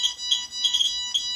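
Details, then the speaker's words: Radiation meters being compared (QSAFE QSF-104, RADEX, Smart Geiger) with a source near the detector: rapid, irregular high-pitched beeping. Repeated fast beeping signals an elevated radiation dose rate. "이 소리가 아주 반복되게 삐삐삐삐삐삐삐 하고 들리면은 방사능 수치가 높다는 거죠. 어떻게 보면 선량이 높다는 겁니다."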